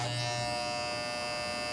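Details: Wahl Legend hair clipper running with a loud, harsh buzz and sharp rattling edge from a misadjusted cutting blade.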